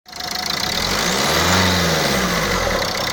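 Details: Renault Scenic 2 engine starts and idles with a loosely regular knock, about four per second, over the running noise; owner is unsure whether a leaking injector is the cause, and the source remains unclear.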